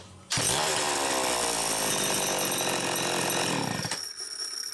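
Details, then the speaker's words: VI-922 chainsaw with capacitive discharge ignition, test run after cleaning, carburetor check and repairs. It fires immediately, holds a steady high buzz when revved, then drops cleanly toward idle, running a lot smoother; normal running. "A lot smoother now, and it sounds positive. It's good."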